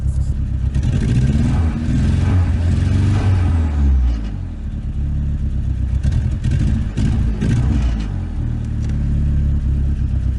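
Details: Nissan 200SX with a CA18ET engine at idle: uneven, lumpy idle with a low stumble that comes and goes as a cylinder drops in and out intermittently. Owner suspects an electrical fault such as a weak ground or ECU issue; not confirmed.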